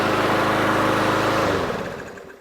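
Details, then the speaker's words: Yard Machines 21-inch mower, Briggs & Stratton 550EX single-cylinder, just after carburetor cleaning: started and holds a smooth, even drone with no misses, then winds down cleanly at shutoff; running healthy. "Look at that. That runs smooth too. Sounds great to me."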